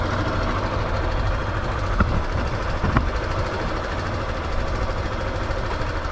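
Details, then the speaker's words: Yamaha Factor 2022 motorcycle, about 55,000 km, after valve adjustment: steady even low idle with only faint ticks and no heavy top-end tapping, recorded close up; noticeably quieter than the noise before the repair. "vou colocar no vídeo aí mesmo microfone vai dá para ver bem a diferença dá pr ouvir bem o barulho ah melhorou"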